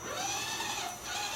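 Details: Axial SCX10 RC scale truck just after waterproofing, battery plugged in and driving: a light, even electric whir with no grinding or clicking. The drive motor is running normally.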